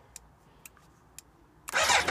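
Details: BMW LT1200 motorcycle on a booster pack, with an intermittent no-start: three soft clicks as the fuel pump primes, then it catches straight away and fires cleanly; normal start.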